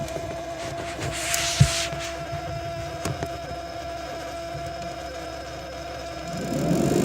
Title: Frigidaire Gallery Refrigerator makes many very loud noises even after two repair attempts.